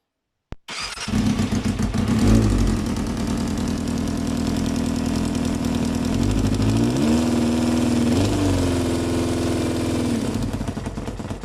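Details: 1995 Yamaha FZR 600R inline-four idling after start-up with a light, quick ticking about four per second under a steady hum; owner suspects timing chain or tensioner, source not confirmed.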